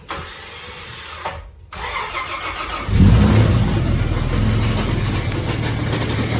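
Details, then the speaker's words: Toyota 80 series Landcruiser diesel after being drowned in mud, alternator brushes already replaced: engine cranks and catches, then a steady rough whirring over idle; alternator shaft visibly wobbly, noise caused by worn alternator bearings. "now see that little shaft basically in the middle of the um video at the back of the old motor look how it's wobbly so the noise we've got [Music] is caused by the bearings of the alternator which have basically"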